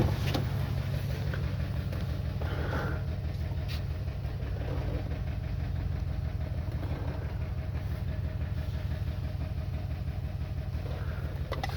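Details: 2021 Toyota Camry idle with an uneven stumble about three beats a second breaking the rhythm. The misfire is caused by an internal ECM fault in the ignition coil control circuit.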